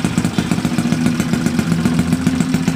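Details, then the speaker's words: Yamaha Mio Sporty scooter, 180cc build with 59 block and 50RT big-valve head, engine on stand before chassis install, start after build: steady even single-cylinder putter, smooth low rumble, no knocks; good clean idle. "So guys, okay naman. Maganda ang minor. Perfect yung gawa natin guys."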